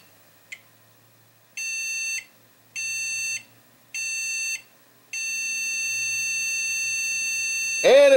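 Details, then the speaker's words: 2005 Windows XP-era PC, under 2 GB RAM, stock cooler, 10-year-old heat-sink compound, long stored; three short high beeps then one long tone before silence, the motherboard flatlines and dies. "three beeps one two three and it shuts off"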